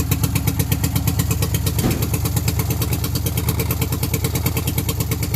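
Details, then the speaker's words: Unidentified carbureted multi-cylinder two-stroke that had been sitting, just started: a rough, irregular popping beat at low revs, firing on only one or two cylinders. The cause is really bad gas, thick like tar, from too much two-stroke oil or dregs at the bottom of the tank. "Only running on 1 or 2. Can't tell. It's got really bad gas."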